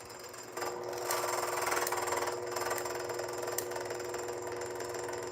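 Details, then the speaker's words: Fellow Ode Gen 2 coffee grinder with intermittent seizing, run empty: motor whine with fast uneven rattling flutter of burrs chattering together. "So, here you can hear it chattering now. Can you hear the chatter?"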